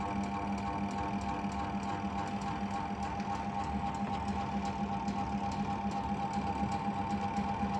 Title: washing machine spinner motor capacitor problems